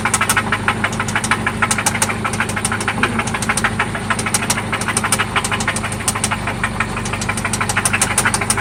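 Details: 1995 Toyota Celica ST after oil change and new spark plugs; loud sharp metallic taps about three per second over steady idle, seeming to come from one spot; cause unknown; engine knock at idle.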